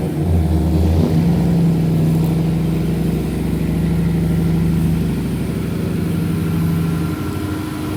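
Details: V8 on its maiden voyage around the yard: revs up smoothly and settles evenly, no ticking, hissing or stumbling; transmission shifted well, engine running normally.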